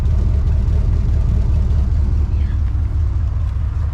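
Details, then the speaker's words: 1979 Cadillac Coupe DeVille V8, showing 63,000 miles (possibly 160,000): deep, steady rumble with a loose, puffing exhaust note from a rear muffler with a hole in it that needs replacing, front muffler and heat shield also due. "The back muffler does need to be replaced. You can hear it and you can see it. It's got a hole in it."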